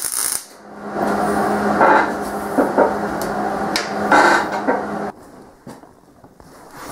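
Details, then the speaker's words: MIG weld at the correct stick-out distance: a steady frying sizzle for about five seconds with no pops or sputter bursts, giving a smooth bead with good fusion. Held too close or too far, it would sputter. "it's one of those things that you're gonna be able to hear it and you're just gonna say oh that sounds like it's running really smooth at that distance I am away and that's what you want to run it"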